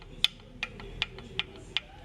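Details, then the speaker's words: Ford Ka three-cylinder engine turned by hand: sharp, crisp clicks about every 0.4 seconds, the terrible noise it made when running; believed overheated, seizing piston and pin, skirt slapping the block bore. "esse pistão travou né aí qual é o resultado eu acredito que esse motor deveria superaqueceu e acabou travando o pistão pino do pistão e ficou batendo ficou batendo saia e carcaceando no bloco do motor certo"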